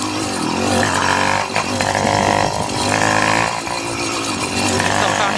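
Buzzy two-stroke revs rise and sag unevenly with brief dropouts; the engine runs rough and won't hold a clean, steady speed. Cause suspected, not confirmed.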